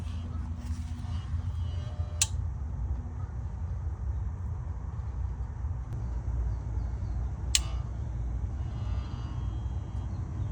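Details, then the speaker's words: GE refrigerator not cooling: low steady buzz with a sharp click about every five seconds as the compressor fails to start; start device check points to a faulty compressor, which tests not grounded. "all right guys so I'm sure you've heard the beeping and the buzzing so what we doing now we're actually checking the start device and you can hear that it's beeping so that tells you that the compressor has an issue"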